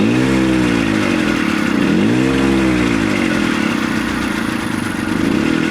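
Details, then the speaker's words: 1970 Willam Fourgonnette micro van, 125 two-stroke, first start after 20+ years parked: catches, revs, settles into steady buzzing idle; running normally, smoky from extra oil, idle speed slightly low until warm. "It's even going to idle. Nice and smoky. That's to be expected with all the oil I put in there."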